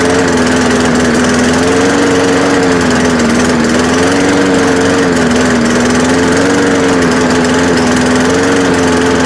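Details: Free, trashed lawn mower after fixing a stuck carburetor float and a fuel leak: steady mid-pitch drone with a slow, wavering hunt every couple of seconds. It runs unevenly, not perfect, but it cuts grass.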